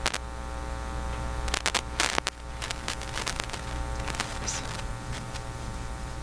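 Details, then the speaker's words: Philips PH202 vacuum tube console record player fed to a soundboard line input: steady low mains hum with higher tones and crackles as the lead moves; phono cable shield not attached to the phono plug, apparently never attached, ground separated. "It actually looks like the ground has separated. It doesn't look like it was actually ever attached."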